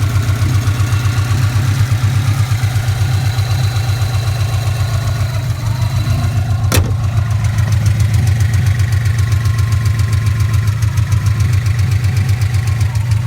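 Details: Subaru Impreza classic flat-four at warm idle: steady light ticking about three to four per second, present even when warm, after a bottom-end rebuild without head work; owner suspects shimmed buckets, possibly rod knock, unconfirmed.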